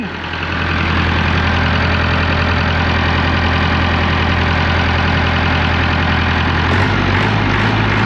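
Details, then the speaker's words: Diesel engine started after the injection pump was refitted, painted pink, with a new filter: loud, steady, deep idle with even rumble and no knocks or misses; normal, always a little smoky and noisy, sounding like before. "I'm not saying she's like a kid, but she sounds like she used to before. It's uh it's always been a little smoky and a little noisy, but she's a running"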